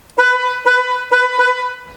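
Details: Horn after circuit repair, tested with steering wheel off: four short honks of clear steady tone, each cleanly on and off; horn now works properly.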